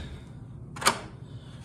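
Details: Thinline patio door installed about a year, dirty track: one crisp latch click in a quiet room, no grinding, scraping or binding; lock works smoothly.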